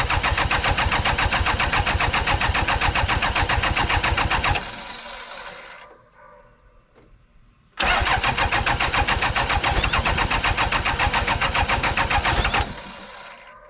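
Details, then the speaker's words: Old 1990s Toyota SDK7 diesel skid steer, sat outside for years, radiator off: engine catches and races to hard full-throttle clatter with throttle lever pushed in, drops away, restarts and races again; runaway surging, cause unknown. "it if I have that pushed in it wants to go Full Throttle I have to pull it out when I pull it out it wants to cut the engine off"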